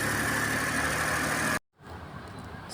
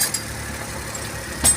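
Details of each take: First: Suzuki Every DB52 petrol engine with DTC P0120, after the faulty ignition coil on cylinder 3 was replaced: even idle with a faint steady whine, cylinder 3 firing again and no misfire, then a sudden break and quieter running. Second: Suzuki Every DB52 petrol engine idling with an uneven, stumbling beat; misfire with DTC P0120, no reaction when cylinder 3 coil unplugged, mechanic blames a faulty ignition coil and swaps coils between cylinders 2 and 3 to confirm.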